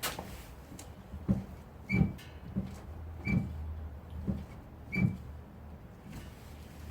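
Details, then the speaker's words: Renault Kaptur 1.6 2WD, 78,000 km: rear drum brakes give short creaky squeaks with a brief high chirp as the brake is pressed and released, caused by the shoe rubbing against the rear backing plate. "в момент торможения момент отпускания тормоза слышен такой мерзкий скрип мерзкой скрип это циля на вызван значит трением самой колодки об задний диск опорный который на тормозном механизме держится"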